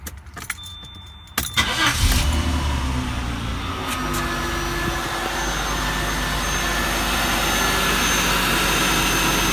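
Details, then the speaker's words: Jaguar XJ6 X300 non-supercharged engine, one-minute run after replacing both serpentine belts: crank then steady even idle with no squeal or chirp from the belts; new belts running normally. "Then we're going to start the engine. We're going to let it run for 1 minute."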